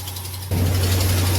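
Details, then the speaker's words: Ram 1500 Hemi V8 idling first thing in the morning, cold: faint fast ticking riding over the rumble, gone once warm; not a Hemi lifter tick. "Now, guys, this car came in, this truck came in for noise, ticking noise, uh when it's cold."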